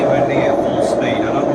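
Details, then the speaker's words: Indesit front-loader washing machine on a brief spin, loud steady roar and rumble from worn drum bearings, before bearing replacement that involves cutting the drum housing. "i'm just going to do a run on it a brief spin on it just to show you how noisy it is"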